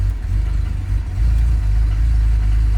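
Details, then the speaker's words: BMW E90 330xi with 140K miles, cold start: starts well but runs rough with a lumpy, uneven low rumble rising with throttle blips, like a misfire, later smoothing out; owner thought engine problem, technician suspects an accessory noise. "So let's fire her up. Starts pretty good, but runs like crap."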